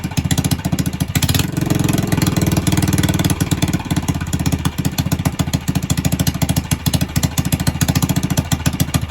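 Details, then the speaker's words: Ported and polished Predator 301 engine (Coleman) at first start-up, idling high (owner suspects the carburetor needs stepping up): strong, even firing with a steady beat and no misses or knocks; starts on one pull and runs cleanly. "But I mean, like I said, so far it's been one puller. She sounds good, man."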